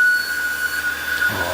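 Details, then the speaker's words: Jeep Grand Cherokee on a cold morning after remote start: loud steady high-pitched squeal holding one pitch over a quiet engine, traced to the front idler pulley (part 05281301AA); worn idler pulley squeal, fixed by replacing the pulley. "so this video is more about what makes the screeching noise up front here not so much how to fix it"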